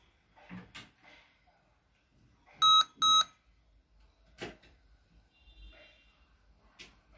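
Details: Lenovo IdeaPad laptop, display working: two short shrill beeps close together over quiet room noise; repeating double-beep POST error warning, cause unsolved.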